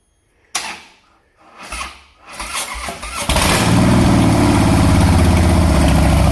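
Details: 2014 Harley Softail Classic V-twin, before or after Vance and Hines Short Shots exhaust install: starter grinds briefly, engine catches into loud steady lumpy idle about four beats a second, running clean.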